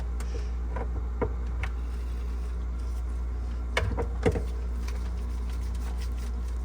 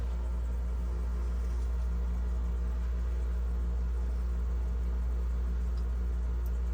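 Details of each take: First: GE French door refrigerator fresh food evaporator fan seized by corrosion from clogged drain steam, being freed by turning and replugging; constant low electrical hum, faint ticks, no whirr building; seized fan motor. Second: GE French-door refrigerator, fresh-food evaporator fan freed after a clogged drain seized it, now running: steady low hum, even unchanging tone, no scraping or ticking, spinning freely and smoothly.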